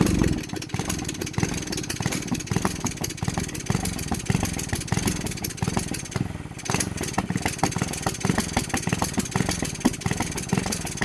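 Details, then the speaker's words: Grom-clone mini motorcycle on 94-octane fuel, after an ignition coil change: single revs unevenly at full throttle, then sags and nearly dies before recovering; engine bogging and nearly stalling. "Why the fuck would it do this? That was full throttle right there, and it almost died. Why would it do this though?"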